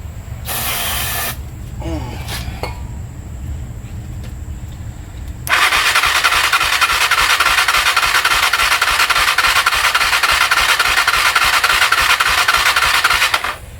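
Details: Honda TRX 300EX quad after carb teardown: starter whirs with even compression pulses about three or four a second for several seconds but never catches; has compression, cranks no start.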